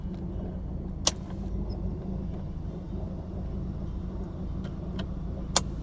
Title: Rough Idle 1985 190e New